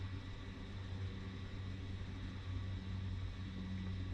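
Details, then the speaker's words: 2018 BMW X3 (G01) 2.0 turbo diesel, rear parking brake actuator retracted to installation position via Foxwell NT530 scan tool before pad change: low steady motor drone with even whir, no strain or clicking; winding back normally. "So I can hear the brake unwinding. And this tells me that I can now go ahead and change the pads."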